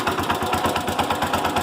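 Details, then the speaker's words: Cub Cadet 107 small single engine idling after generator installation and point gap adjustment; regular heavy diesel-like knock on every firing stroke, owner suspects ignition knock, points may need closer gap; charging system also not charging. "yeah yeah you can still hear it it still sounds like a diesel something still knocking I think it's ignition knock"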